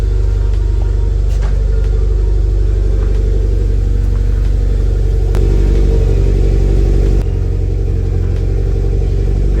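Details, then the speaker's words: Mitsubishi Evo X after turbo install and fresh oil change, idling with correct exhaust gasket fitted: deep, even rumble, steady low pulse, no puffing or ticking. Air-fuel at 15, good oil pressure, no more exhaust noise from dump tube. Normal exhaust idle. "does sound a lot more contained with the correct gasket before on cold starts I was getting a lot of the noise coming out the front"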